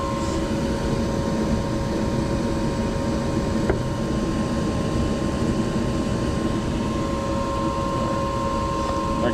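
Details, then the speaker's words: Small 210 two-burner furnace with a smaller blower motor, after repair of a heater reported buzzing and screeching: steady soft rush of air with a faint even hum, quieter than usual, no buzzing or rattling; blower running normally. "oh wait it is on all right this is quiet usually other blow mot is a lot louder"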